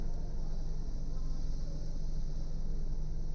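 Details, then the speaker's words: Car idling with AC off: steady low even hum with no vibration, knock or squeal; with AC on it vibrates and chirps, cause a fan problem. "अभी गाड़ी में हम बैठ रहे हैं तो कोई एकदम स्मूथ फील हो रहा है, ना कोई वाइब्रेशन ना कुछ। ये देखिए एकदम नॉर्मल है, कोई वाइब्रेशन नहीं"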